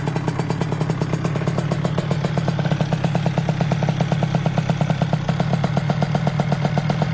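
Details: Derbi DRD Limited 2005, 70cc 2Fast kit on Euro 3 engine, 28 carb, KRM pipe, first start, not broken in: fast crisp two-stroke crackle, steady rapid even beat; bike not yet tuned — normal idle.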